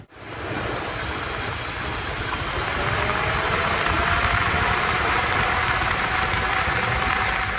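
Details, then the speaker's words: 2001 Chevrolet Tahoe with electric cooling fan conversion (no tune, manual temp sensor control), idling in summer heat with AC on: soft, even rush of air, no rattle or whine; both fans running normally on low speed. "So the AC is doing great, and you can actually see the condensation right here of all the water dripping. And now it's much cooler with the summer heat because it was getting real hot out here. And now they're both on low speed."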